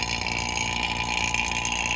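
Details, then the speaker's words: Vacuum pump evacuating the AC system of a Hino 268 box truck during air conditioner repair, set to run an hour: steady, even electric drone with constant hiss, no knocking or labouring; normal running. "It has a on and off switch. So it's on now, you can hear it. Vacuum pump."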